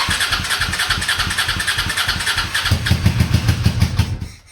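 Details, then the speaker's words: Honda Shadow V-twin motorcycle, parked 4 years, Seafoam treated, cold morning, on booster box, full choke: uneven cranking pulses about three per second, catches briefly then dies without idling; hard starting, owner suspects weak fuel pump. "Give her all the choke. Yeah, she's starving for fuel. I think that fuel pump is weak."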